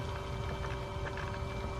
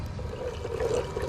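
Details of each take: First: EG hatch water-to-air intercooler coolant pump after bleeding: even, steady pump hum with a soft wash of flowing liquid and no gurgle. Circulating normally and now quiet. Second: EG hatch water-to-air intercooler coolant circuit being filled and bled, running about 25% coolant: bubbling, gurgling water sloshing through the lines with irregular trickles. Air is still in the system and it needs more water.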